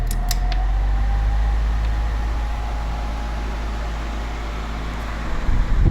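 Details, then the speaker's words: Air Wizard Pro 20-inch wall fan on high speed, oscillation off: a thin, steady motor whine over rushing air that persists at every speed; the blade is also out of balance. "You can see the motor whine doesn't go away. You still hear it."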